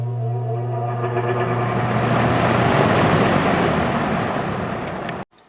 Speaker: let's do a startup sound we'll start on high